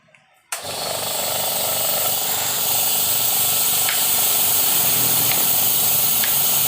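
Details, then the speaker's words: Used oil-free air compressor: pump chatters with a steady hiss-heavy clatter and never unloads or stops; the automatic pressure switch fails to cut off, apparently because a mismatched cover keeps its button from reaching the lever. "Nah, ini otomatisnya nggak berfungsi teman-teman."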